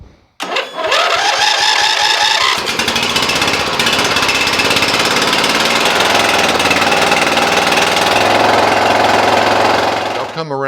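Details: Cub Cadet mower with single-cylinder Briggs & Stratton engine, oil blowing out of the fuel pump, starts and runs loud and rough with a ragged, uneven beat; blown head gasket.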